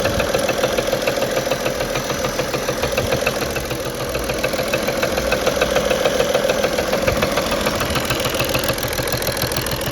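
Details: BMW 335d M57 diesel at idle with regular knock three to four times a second from the top of the engine, vacuum pump removed; owner suspects an injector, new stumble on start, improves as it warms up.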